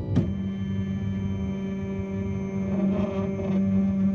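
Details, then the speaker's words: Flashforge Dreamer (NX) 3D printer homing via home button, before greasing: steady hollow singing tone with faint squeal from dry guide rods/poles that the extruder and platform run on; owner hopes the supplied grease will fix it. "Hear that squeaking? Yeah. So hopefully some grease will solve that."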